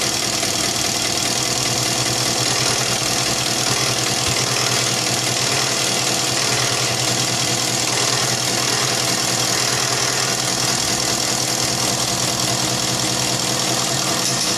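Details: Isuzu 4BC2 diesel after injection pump calibration to cure hard starting: steady idle with even clatter, no misfire or stumble, settles smoothly; healthy normal idle.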